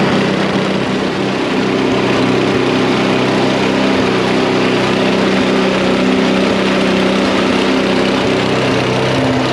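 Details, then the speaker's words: Snapper I 422 two-stroke snowblower after carburetor cleaning, idle circuit already tuned, now adjusting main jet: steady buzzy drone held at high speed with even firing throughout. "now once you have the idle circuit tuned in now you can do the main jet circuit the reason you need to have the idle set first is the idle circuit is part of the main circuit you run both jets let's do the main circuit"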